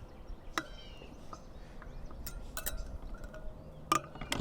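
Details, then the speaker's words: Sur Ron Supermoto spoked wheel being pre-stressed by pushing spokes with a wrench: scattered sharp metallic pings and clinks, irregular, as spokes settle and lose tension while bedding in. "oh you heard that yeah pop pop ting yeah that one that one definitely lost this tension"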